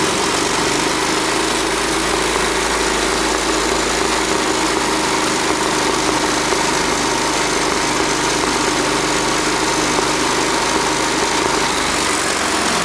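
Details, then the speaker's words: Go-kart engine in sprint kart mode: steady even drone sitting slightly low, below the 3,300–3,400 rpm target; maximum rpm set too low, to be raised by adjusting the sprint-mode throttle stop bolt. "Okay, so wasn't quite high enough in sprint kart mode. Right now I want the sprint karts to be between 3,300 RPM and 3,400 RPM."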